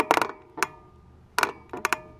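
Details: Trek Fuel EX full-suspension mountain bike: sharp woody clicks and short creaks in irregular bursts from the suspension linkage; the fix is removing, greasing and Loctiting the pivot bolts.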